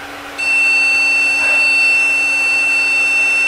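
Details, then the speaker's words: Steady high-pitched beep from power-on of a 2002 Win98 desktop found curbside; the beep code traced to one of its two memory sticks being bad. "so after a lot of work um we found the problem with the beeping and that was because the memory card one of the two"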